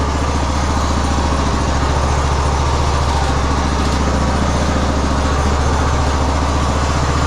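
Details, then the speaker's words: 2015 Craftsman T2200 lawn tractor, 19hp Briggs and Stratton, automatic General Transmissions transmission, test drive in rain after cleaning debris from transmission and reassembly. Steady even drone, smooth low thrum, no slipping or grinding; drive working perfectly. "Let's make sure our battery is on. It's working perfectly."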